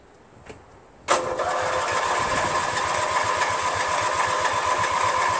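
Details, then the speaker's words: Craftsman DYT4000 tractor repowered with a 14 hp Briggs twin: quiet, then steady starter drone pulsing about four times a second that never catches. Owner had turned the fuel shut-off valve off by mistake, so no fuel; the cranking drained the battery. "so I had the fuel shut off off I turned it off thinking that I was turning it on anyway"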